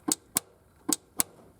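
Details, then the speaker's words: 1971 Triumph GT6 MK3, Laycock D-type overdrive that only worked in 4th and rarely in 3rd; in 3rd, pushing the support pillar gives four sharp clicks in pairs as the solenoid drops in and out: misadjusted inhibitor switch cutting the overdrive. "but if I put it in the third gear and then push on this support pillar"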